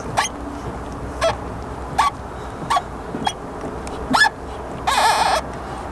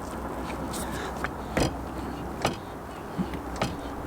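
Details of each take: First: Caravan hitch clamped on a very shiny tow ball after about 100 miles of towing, despite regular cleaning: irregular squeaky groans and short creaks as the hitch works on the ball; glazed friction pads rubbing the polished ball. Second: Caravan tow hitch after cleaning friction pads, cleaning tow ball and sanding pads with 300–400 grit paper: only a few dull knocks as it rocks on the ball, no squeak.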